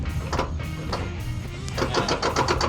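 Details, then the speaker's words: Spartan locker (SLD60-35) just installed in a Dana 60 front axle, tested with one hub locked and the wheel turned by hand. Quick, evenly spaced clicks with no grinding and only slight brake drag: the locker ratchets normally. "So if I turn this wheel to lock, I can hear it ratcheting. There's locker ratcheting."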